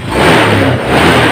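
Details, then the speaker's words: 2018 Honda Scoopy scooter, owner complaining of weak pull, throttle blipped to test injection and ignition: revs rise promptly and fall back cleanly with no stumble, matching the grip, so fuel and ignition are fine; normal throttle response. "nah jika putaran grip gas itu sesuai dengan suara putaran mesin itu artinya kondisi di bagian injeksi ataupun Giant sistem pengapian itu oke"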